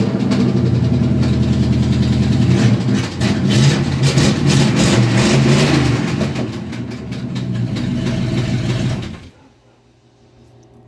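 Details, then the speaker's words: Truck engine idles, then revs with a heavy, fairly regular deep thumping knock before shutting off. The knock is absent in reverse and drive, and the torque converter bolts were checked tight. The owner suspects a snapped rod and expects an engine rebuild. "torque converter bolts are tight but it doesn't do it in gear I almost think the rod snapped"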